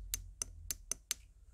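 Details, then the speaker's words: ABS hydraulic unit from a W220 Mercedes S-class, removed from the car: five crisp clicks about a quarter second apart over a quiet hum as a solenoid placed on a valve is energized; the valve shifts cleanly inside, normal. "now let's take one of these solenoids and let's place it on one of these valves you're gonna hear that valve from inside moving"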